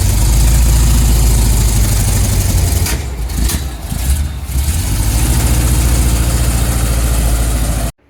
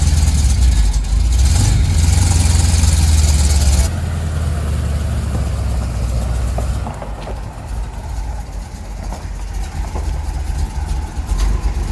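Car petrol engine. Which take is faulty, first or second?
first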